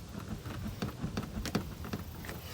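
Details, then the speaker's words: Ford 6.0 Powerstroke pickup, 231,000 miles: light irregular tapping door rattles about three a second over low running rumble; tape wrapped around the hinges firms the shut but doors still rattle. "They rattle. So we took some tape. It's a quick fix. Wrap some tape around the hinge. Makes it shut firmer, but they still rattle."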